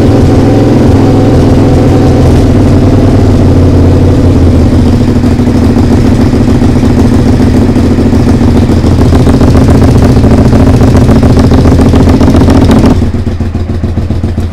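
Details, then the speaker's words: Suzuki SV motorcycle under restoration, first start: runs poorly, idling lumpy and uneven with loud raw chuffing from the pipes; exhaust leak suspected. "ça démarre par contre ça tourne pas bien du tout ça tourne pas bien du tout et j'ai vachement de bruit au niveau de l'échappement là"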